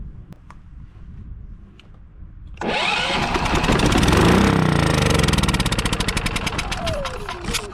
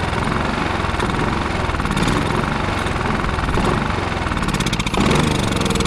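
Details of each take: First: Westinghouse iGen4500DF inverter generator, stored almost a year, started on starting fluid sprayed into the air intake. It catches after a quiet pause, then runs loud and ragged, settling into uneven chuffing about four times a second. Owner suspects old fuel. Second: Westinghouse iGen4500DF inverter generator, stored almost a year on premium fuel with stabilizer and not running, now revived with fresh fuel and Seafoam: steady, even engine drone with a busy low hum, no misses or surging; running smoothly.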